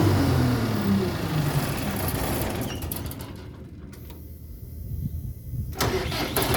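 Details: Perkins diesel engine in a Broadway sweeper after repair of grinding noise on starting: cranks and catches, then runs with no grinding; starter now engaging cleanly.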